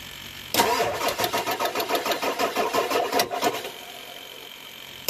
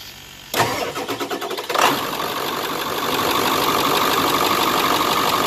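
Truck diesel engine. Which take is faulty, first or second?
first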